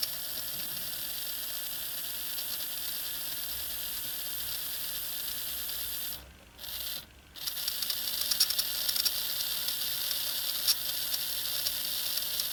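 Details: Farish N-gauge GWR Hall 'Sketty Hall' loco (R238): thin steady high-pitched squeak from the running motor; oiling the drive gear didn't cure it, and the squeak was isolated to dry armature bearings.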